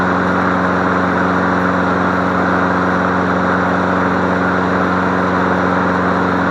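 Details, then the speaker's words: Free MTD Select Series 21-inch self-propelled push mower, cord had snapped back (suspected sheared flywheel key), started on leftover fuel: steady even drone at constant speed, no misses or surging; runs normally, sounds pretty good. "good job you sound pretty darn good"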